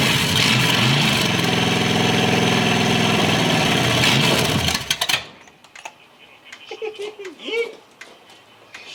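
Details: Chevy Impala 406 small block V8 first start after rebuild, run only briefly because lower radiator hose was too short; fires and settles into steady, even rumbling idle for about five seconds before shutdown, sounds healthy.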